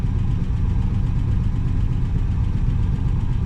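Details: 1966 Pontiac Grand Prix, 389 CI V8 with automatic transmission, sat for about 30 years; run on an electric fuel pump with the tank feed line unhooked. Low, steady rumble with an even beat, no knocks or misses; normal idle.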